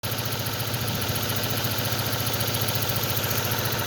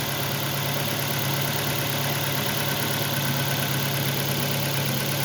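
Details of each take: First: 2006 Ford Focus has a hard start and a lumpy, shaking idle pulsing 3–4 times a second despite new plug wires and a new coil pack. Pushing the coil pack connector smooths it; a broken wire and contact in that connector cause the misfire. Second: 2006 Ford Focus after hard starting and bad engine shaking, with new coil pack, spark plug cables and a connector replaced: even, steady low hum with no stumbles or dropouts, engine now idling smoothly and healthy.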